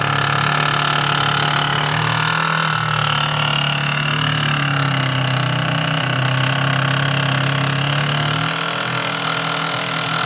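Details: GE Profile Opal, only a week old: a loud, continuous rasping grind over a steady motor hum. It persists after proper cleaning and following GE's troubleshooting steps; cause unknown.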